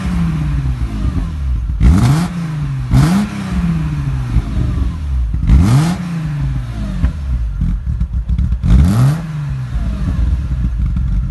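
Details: BMW E36 M3 3.0 with aftermarket exhaust: loud, deep exhaust idle that dips and recovers unevenly every second or two, a rough idle from unbalanced throttle body valves.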